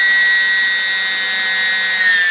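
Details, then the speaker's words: E-flite P-51D BL UMX brushless motor on the bench at 100% throttle, then backed off to about 70%: clean, steady high whine dipping slightly as throttle eases; slight backing off at full throttle probably battery discharge rate; runs healthy. "So when I get up to 100%, it seems like it wants to back off a little bit. Probably just the discharge rate of the battery, but guys, that feels like it's doing just fine."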